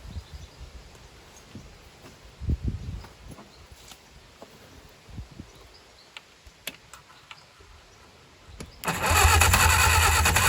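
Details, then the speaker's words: 1959 Reliant Regal Mk5/Mk6 three-wheeler, first start attempt in over 20 years, fuel from temporary tank; slow weak cranking with a few isolated firings that never catch, then harsh cranking burst — fires but won't run, carburetor flooding. "Okay. Oh, it's so close. Having it fire up."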